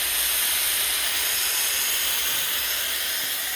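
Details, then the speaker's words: New Draper 150 L belt-driven 2.2 kW 10 bar air compressor, ten minutes into its run-in with the adapter fitted so air vents freely and no pressure builds: constant high hiss, no knocks or rattles; oil level fine and clear. Normal run-in venting. "As you can hear, the air is still escaping. So it ran well. The pressure didn't build up too much."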